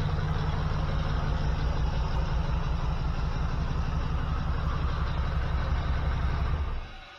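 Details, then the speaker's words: 1979 GMC C15 LS swap, P0300 misfire, hot engine at idle before shutdown: uneven, lumpy, loping beat about three a second; cylinders 1, 4 and 5 not firing despite having spark. "So 1, 5, and 4 are not hitting. That sucks. Makes no sense. I'm getting spark though."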